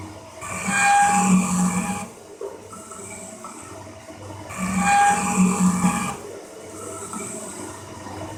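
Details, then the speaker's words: Cincinnati 24-inch metal shaper parting off a gib, overhanging part, long tool holder, rough-ground cutter: loud hissing buzz with ringing tone each stroke about every four seconds, bad chatter; owner suspects holder and cutter geometry. "let's uh press our chips away some of them man that sounds gnarly i'm nervous"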